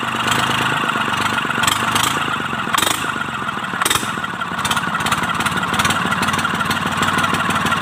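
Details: Mitsubishi K3E three-cylinder diesel in an MT18 tractor, after replacing three pistons and rings for hard starting: steady, even diesel clatter at idle with regular firing, no misses or heavy knock; runs smoothly.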